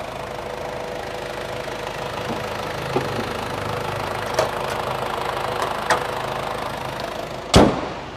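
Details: 2007 Ford Everest turbo diesel, rear-wheel drive: steady diesel idle with usual light clatter and a few handling thumps; runs evenly, no fault heard, normal idle.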